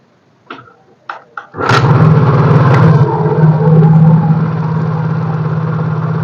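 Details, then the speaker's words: Yamaha Mio J scooter with weak electric starter complaint (battery or starter dynamo suspected): three kick-start strokes, then catches at once and settles into steady even idle; kick start fine. "engkol langsung nyala"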